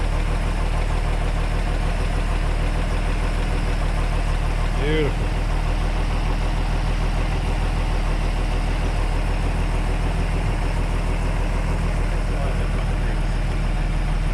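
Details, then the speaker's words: 1933 Hudson Terraplane engine idling: low, smooth, even idle with no tick or rattle, only fan belt and fan wind noise on top; normal idle. "it's just there's not a a tick a rattle or anything I think you can just hear the fan belt going around or the wind from the fan that's what's making all the noise"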